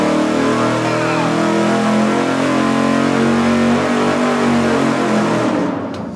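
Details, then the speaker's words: Engine dyno full-throttle pull on a budget 750 CFM four-barrel carburetor with the secondaries zip-tied mechanically fully open. A strong, even rising roar with no stumbles or popping, then cut-off. It sounded cleaner, with 415 lb-ft at 3,000 rpm versus 399. "I could see in the video that earlier I could see the screws on the throttle blades and this time they were rolled all the way over yeah it sounded way cleaner too"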